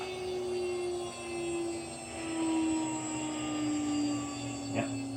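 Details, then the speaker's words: CNC router spindle being shut down from 24,000 RPM. A steady tone glides slowly downward as it coasts, with a brief ringing swell near the end as the frame resonates, noted around 18,000 RPM and judged harmless. Otherwise quiet. "And a little bit of resonance on the frame at around 18,000, but nothing enough to cause any problems. But as you can see, it's really nice and quiet."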